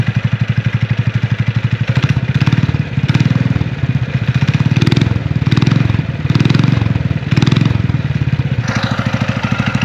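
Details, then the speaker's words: Scrap power-washer single-cylinder engine on a DIY trike with centrifugal clutch, newly fitted muffler: fast regular thumping with gentle rev rises, even muffled exhaust; normal running. "sounds way better with that muffler on it"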